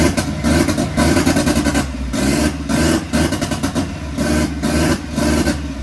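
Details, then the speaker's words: MK1 Fiesta Zetec turbo first starts after ECU fix, now on all cylinders with fuel being pulled out, uneven popping run with bursts about twice a second and big exhaust flames, losing oil; badly over-rich despite gauge reading lean. "They were some big flames. Some very, very big flames. It's unbelievably rich."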